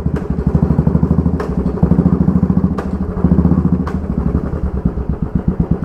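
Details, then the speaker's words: Motorcycle at idle giving sharp hammer-like metallic clunks when the clutch is pulled and the brake is snapped on suddenly; the rear wheel coupling (cush drive) rubbers are badly worn, letting the sprocket grooves hit the alloy wheel cutouts. "ये देखो इसकी coupling रबड़ बिल्कुल हालत ख़राब हो चुकी है, मेरे ख्याल में मसाला बन गया हुआ कपड़े में बढ़कर। तो जो आवाज़ आ रही है, स्प्रॉकेट के ग्रूव एलॉय व्हील के जो कट होते हैं उसमें जाके टच हो रहे हैं।"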